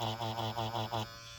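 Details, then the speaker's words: Ambition Ninja Pro tattoo machine running with another cartridge. An even, low electric buzz with a gentle rhythmic swell and no rattle, then a clean cutoff; normal. "другим картриджем в принципе все огонь с тем тоже нормально работает нормально звук нормальный"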